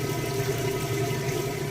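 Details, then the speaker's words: Whirlpool top-load washer with lid switch disabled, running its drain and spin; a steady, even pump hum with water rushing out quickly and no knocks or rattles, drain pump emptying the tub normally. "Doing a really good job. Getting that water out nice and fast."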